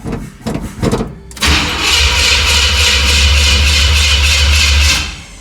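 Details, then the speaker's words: 1977 Chevy C10, first start attempt after steering gear box swap, fuel pumped: a few clunks then steady starter cranking with no catch; crank no start, owner says the fuel filter was empty. "Not on the first one. I know that filter was empty."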